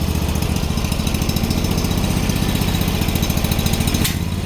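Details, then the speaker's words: Bolens HT-23 garden tractor twin, first cold start of the year on choke: steady low beat with uneven, lumpy firing, switching between one and two cylinders. One cylinder sounds fouled; the spark plugs are known to need changing. "one cylinder's already sounding like a foul damn it oh kicked on both stay running a b he's kicking from one to two cylinders already yeah I know I have to change the spark plugs on this"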